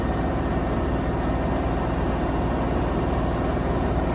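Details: Samsung washing machine, final spin after replacing flange shaft: smooth even high-speed spin, steady low hum, no knocking or banging, no shaking or walking as it used to; spin cycle normal, fixed.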